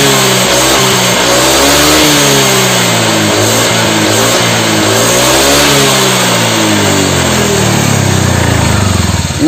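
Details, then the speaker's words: Motorcycle after piston replacement: clean blips up and down the rev range, pitch rising and falling evenly with no knock or rattle; engine smooth and healthy. "oke Ini berarti untuk motornya udah halus ya gan"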